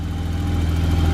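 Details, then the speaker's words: BMW E34 535i M30B35 at idle right after its first start. A steady, smooth, throaty six-cylinder idle with no misses, hunting or hiss, and no vacuum leaks evident. It runs amazing. "sounds so good nice and throaty like an m30 should so i'm like thrilled right now so i got this thing running right now it's just idling it runs amazing dude i like it runs like there's no vacuum leaks no anything"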